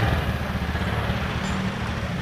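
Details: Honda Beat FI scooter with starter only clicking: starter motor tested directly on battery gives steady strong low whirring, spinning freely; starter is fine, fault lies elsewhere (owner points to rusty timing/dynamo side).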